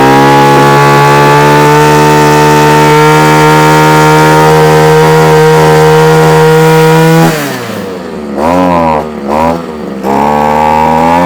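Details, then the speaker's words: Old Komatsu Zenoah Pro 26 two-stroke strimmer, off choke: high buzz holds unevenly then sags and hunts as throttle drops; needs carburettor work, carb diaphragm suspected, no tuning screws apparent. "oh well it's doing something so it is actually doing something what it wants it wants a bit of a tune"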